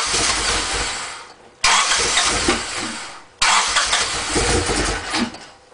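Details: Honda Civic EX coupe that would not stay running: repeated cranking bursts, each dying off without catching into a steady idle; cranks but won't start.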